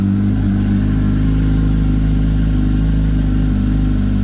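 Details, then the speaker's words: Kawasaki ZX10R after engine-out gearbox rebuild, first cold start: steady slightly raised cold-start idle with even low pulse, oil pressure straight away, no knocking or tapping, no leaks; cold start valve working, warming at idle without revving. "so we got oil pressure straight away which is good sounds good no botling no tapping got no leaks"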